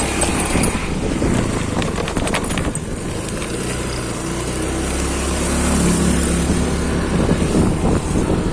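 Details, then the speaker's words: Honda Beat scooter at speed after final drive work: steady engine and road noise with no whine from the final drive; previously the whine returned within a week after drive shaft and counter gear replacement. "Tapi ini sekarang alhamdulillah sudah lebih yoi lah, nggak ada suara lagi rolling bambunya."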